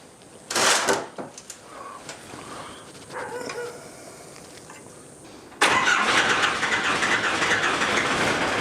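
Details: Cummins 4BT diesel in a 1968 Ford Bronco, first start after bleeding injector lines: clanks, then catches and settles into a loud, steady, even clatter; noisy but running normally.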